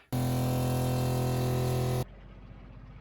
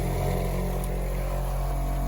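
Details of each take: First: Seaflo 33 series water pump replacing a Shurflo, recorded outside the closed cabinet: soft, low, steady hum in two-second bursts as it cycles, far quieter and lower-pitched than the Shurflo, filling the accumulator quickly. Normal pump running. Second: Shurflo 2088 series water pump after fitting the silencer kit: self-primes but still a loud steady drone with low buzzing hum at constant pitch, no quieter by decibel reading, though it fills faster.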